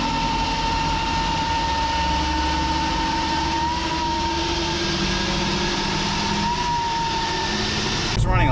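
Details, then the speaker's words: Chevy Cruze with big turbo upgrade, running on factory diverter valve: thin steady high whistle wavering over the engine, turbo flutter, before blow-off valve install. "a lot of people have speculation as to what that noise is if you tell somebody my Turbo is making a louder noise most people just think you're talking about SPO"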